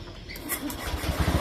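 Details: Honda Beat scooter that previously clicked without starting (MIL code 52, CKP sensor/wiring suspected), after the wiring was reconnected; starter spins freely with a quick even whirr and the engine catches smoothly. Normal electric start.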